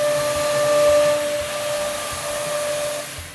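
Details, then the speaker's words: CNC router cutting wood cleanly: steady high whine over even rushing hiss without strain, indicating a sharp bit and optimal feeds and speeds. "Now, this bit isn't struggling through the material, which means your bit is sharp and you're running at optimal feeds and speeds."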